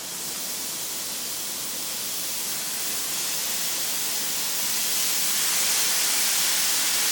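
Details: Braun steam generator iron, roughly 10 years little-used, descaler added, very hot: steady strong hiss building as pressure vents, steam forcing out limescale blocking the generator; lots of scale discharged.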